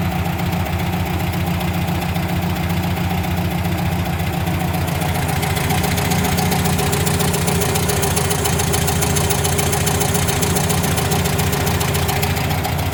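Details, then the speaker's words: 1977 VW Brasília air-cooled flat-four at idle: fast, fairly even valve tapping on one side that at times sounds like a connecting rod, attributed to loose valve springs and sunk valves. "a gente tem um barulho de válvula batendo do lado de cá que dependendo da hora até parece ser uma uma biela"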